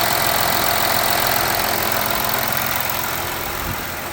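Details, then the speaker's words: VW Amarok V6 TDI diesel first start-up after coolant leak repair, new cam covers and seals, cleaned intake manifold: smooth even idle settling down, no knock or rattle; no engine or glow plug lights, everything good. "No engine light, no glow plugs lights. Everything is good."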